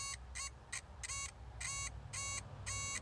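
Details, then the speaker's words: Chevy Colorado HVAC blower motor not working at any speed: the power probe beeps in short bursts as the connector is moved, showing an intermittent ground caused by a bad ground wire and connector to the blower motor. "okay so what we having here is we have an issue with our connector there's something wrong with this wire here and that's what's causing the ground to go missing"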